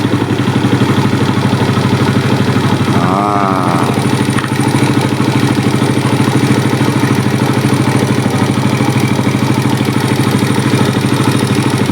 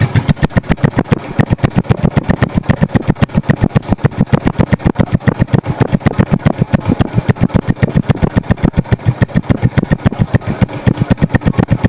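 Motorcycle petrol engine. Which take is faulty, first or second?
second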